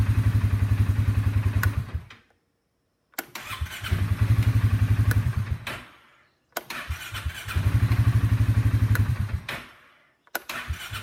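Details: Starter cranks in short bursts at about four beats a second, fading and stopping dead each time, pointing to a dead spot in the starter.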